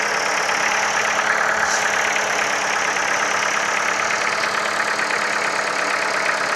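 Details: Ford Focus 3, 1.6 L 125 hp petrol engine at steady idle with a faint, uneven light tapping running through the engine noise; engine knock present, source not pinned down.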